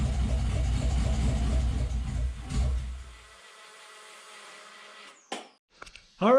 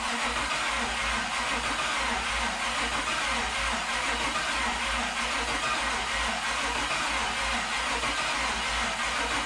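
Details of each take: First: 1972 Toyota FJ40 Land Cruiser with LS 4.8L V8 swap, after repeatedly touching power to the terminal until all eight fire: fires right up, even lumpy V8 idle about three seconds, no knocks or misses; runs briefly, no coolant yet. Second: 1972 Toyota FJ40 Land Cruiser with swapped-in LS 4.8L V8, first start attempt with PCM hooked up: steady starter cranking, only weak occasional firing pulses, never catches. Only two primaries warm, spark present on other side; stuck fuel injectors, just two cylinders firing.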